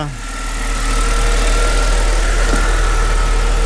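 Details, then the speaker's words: 2005 Mercedes CLK320 W209 with M112 V6 after starter replacement for a no-start: a steady, smooth idle with an even low hum and a faint whir, no knocks or stumbles. The engine runs fine; the dash shows only an SRS message. "so I guess at this point looks like the engine is doing fine let's see if the alternator is working"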